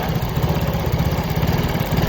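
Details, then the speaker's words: Yamaha Mio J scooter, stalls often, ISC previously repaired: idle pulses unevenly up and down instead of a steady beat. Cause is a vacuum leak from the swollen, expanded lower intake hose; pressing the hose steadies the idle. "Nah, masalahnya ini terasa udaranya itu tidak stabil karena selang ini sudah mengalami pemuaian."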